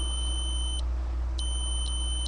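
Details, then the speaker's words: Datsun 280Z ignition switch, removed and tested on the S and B (starter/battery) terminals with a continuity beeper; the beep drops out briefly at a catch while turning back toward Run, showing intermittent contact. Owner was chasing intermittent no-crank and ECU resets. "now that's back to what should be the Run position makes contact a little bit of a loss there but you know other than that little Gap seems to sound pretty good"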